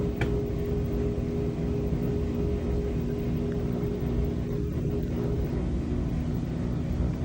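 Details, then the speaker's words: LG front load washer WM2487HWMA after new tub bearings, seal and basket shaft, high-speed spin: smooth steady low rumble, no roar or grinding, even tone fading near end; air conditioner audible; bearings healthy. "There we go. Now we got some high-speed spin going. Quiet."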